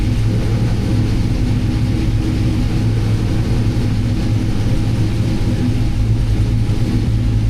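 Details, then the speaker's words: 1971 Chevelle with junkyard 6.0 LS V8, BTR Truck Norris cam, Holley Terminator X Max, drive-by-wire, Tremec TKX 5-speed, not yet at temperature, base idle timing raised 12° to 15°: deep, steady idle rumble, no longer hunting. "Do you notice too? It's not hunting anymore. You don't see the up and down. Up and down."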